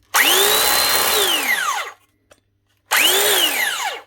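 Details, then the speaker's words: Arbortech Allsaw mortar saw that won't cut, before repair: spins up to a high whine then winds down quickly with a dragging note, running stiff, hot air and smell; drive belt stretched and dropped on the pulley, belt slipping. "Definitely just doesn't sound exactly right. Sounds a little bit stiff or something. But the motor, that sounds alright. Whatever it is, I think is up inside of here."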